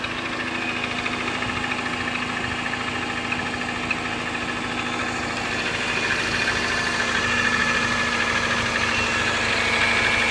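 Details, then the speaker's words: 2003 Subaru Forester XS, about 25,000 miles, cold start: sharp metallic ticking at about three per second, loudest at the left cylinder head and fading once warm. Changes with throttle; owner suspects piston slap. Cold start ticking. "it is starting to make a loud ticking or pinging sound on cold starts so here's a sample video"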